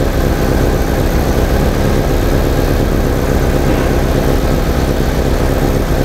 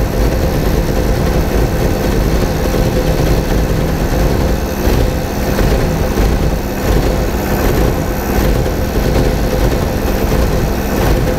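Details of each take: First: 1987 VW Vanagon petrol engine, previously misfiring and stalling, idling after a ballast resistor was added to the ignition coil circuit: steady, even low rumble with no stumbles; runs better and smoother, the ballast fixed the problem. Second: 1987 VW Vanagon at idle, misfiring and stalling despite many replaced parts: a low, uneven petrol idle that sags and stumbles as if about to stall. The ignition coil draws about 8 amps and is not shorted.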